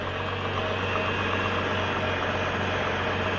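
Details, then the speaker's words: 2004 GMC Envoy just after fuel pump replacement, warming up: started right up, fuel pump primed; smooth, even idle with a steady low hum, no hiss or stumble, no vacuum leaks heard; running healthy. "she started right up the fuel pump primed um and uh I don't hear any vacuum leaks anymore we'll check it out just to be sure"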